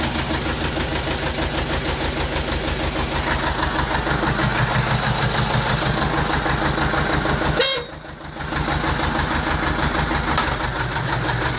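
Even diesel clatter at a steady idle with regular firing and no knocks or misses; a short loud burst midway, otherwise healthy.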